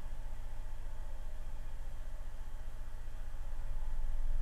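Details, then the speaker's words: Adcom GFA-555 amplifier, distorted left channel restored after bias adjusted to about 1 mV, microphone at speaker: smooth deep 20–40 Hz test tone with no clicks or pops; clean low-frequency output. "there's 20 Hertz 30 40. you can probably start to hear that now"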